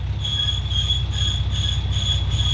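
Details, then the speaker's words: Nissan GQ Patrol running with a seized clutch throwout (thrust) bearing: steady high-pitched squeal constantly over a low engine rumble, bearing squeaking and damaging the clutch; throwout bearing squeal before clutch replacement. "so obviously the thrust bearing is seized solid and is squeaking like crazy yeah it's killing the clutch by the sounds of it but it's squeaky that's for sure"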